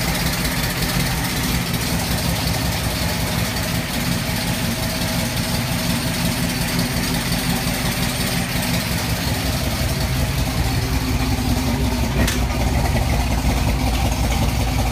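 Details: 1989 Ford Mustang LX 5.0 fox body, 306 with GT40X heads, GT40 intake, Z303 cam, long-tube headers, Flowmaster 40s: rough, loping V8 idle with uneven beats and stumbles; misfire caused by a badly wired MAF sensor.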